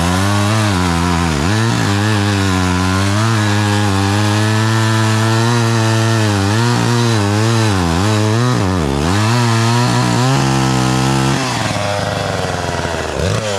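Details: Homelite 240 chainsaw, owned about 20 years, running again after sitting, once the air filter was cleaned and it was reassembled. A loud, buzzy two-stroke howl bogs and recovers as the chain bites the wood, pulling cleanly.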